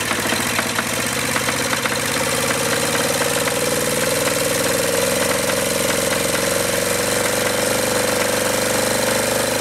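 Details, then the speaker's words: Acme Motori ADX 740 twin diesel, unrun over 10 years, after new fuel filter and reinstalled injector pumps, injectors and linkage; fast hard clatter stuck at high speed, running away at full throttle, throttle not working, linkage suspected. "And some of that needs to be burned off, but it looks like it's still got a problem. Obviously, it's running full throttle. We can't have that."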